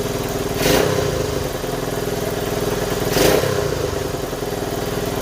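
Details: 1970 Honda Trail 90, previously non-running (previous owner said it overheated), just restarted: small single chugs at idle with two short throttle blips, revving freely while blowing a lot of white smoke; owner unsure if it's burn-off.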